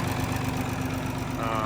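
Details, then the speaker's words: John Deere 4020 standard diesel with M&W turbo, started cold with ether; even diesel knock at idle with faint turbo whistle rising near the end; running smoothly. "sounds pretty good fire you can hear that turbo whistling a little bit"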